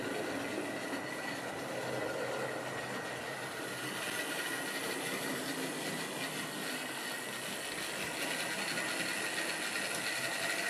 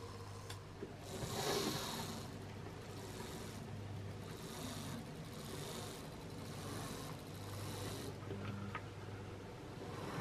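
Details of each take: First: Wrenn West Country class model loco Lyme Regis, unrun since the 80s, couplings freed of paint on bearings; slight stutter noted, very smooth backwards. Continuous smooth whirring with light, loosely spaced clicking, no grinding or catching; motor running freely. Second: Wrenn West Country class model loco Lyme Regis (21C109), not run since the 80s: small motor whirring with a rough scraping rasp about every second, as a twisted, bent drop link binds the valve gear.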